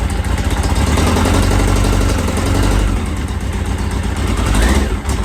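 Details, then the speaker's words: 1983 Yamaha XJ900 Seca in restoration, fresh start after carb balancing: a busy, slightly uneven exhaust beat that stays fast and won't settle, idle too high, likely because it was raised while running on only three cylinders. "When I fire it up now, it's probably gonna idle way too high because I cranked it up. I cranked it up, not realizing it was only on 3 cylinders."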